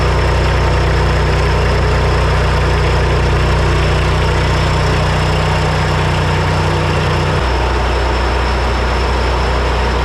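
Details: Three-cylinder Kubota diesel repowered into a Melroe 610 skid loader, first fire-up: settles into a steady, even idle with deep smooth rumble, no misses; runs right after the fuel shutoff solenoid, which worked opposite to expectation, was rewired.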